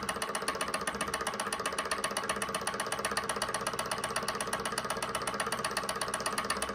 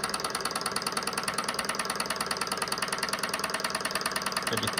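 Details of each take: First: SunnyTech Silver Stirling hot-air engine on denatured alcohol, started before fully up to temperature: light even ticking about four beats a second, no knocks or rubbing, starting slow and picking up speed; normal running. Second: SunnyTech Silver Stirling hot-air engine running with no cushioning feet yet: quick regular ticking rattle about three per second in step with the flywheel as it bounces on the table, changing when hand-steadied; vibration rattle against mounting surface.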